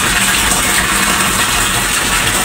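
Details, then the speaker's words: Submersible (Sibel) water pump that ran with panel power on but drew no water, fixed by reconnecting broken cables, pump itself undamaged: strong steady gush of water into the tank, no sputter or surging, delivering normally. "Nah, itu air sudah mengalir teman-teman. Dengan demikian usaha kita hari ini untuk perbaikan mesin sibel. Mesin sibel ini tidak rusak, tapi hanya putus kabel-kabelnya saja."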